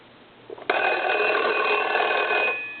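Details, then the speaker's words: Foreign desk-style telephone from Paris, converted to touchtone, bell switch turned back on: a bright, steady bell ring of about two seconds, clean and even with both gongs sounding; the ringer is working normally. "I'm going to turn the switch back on um for the bell and I'm going to catch it on a ring"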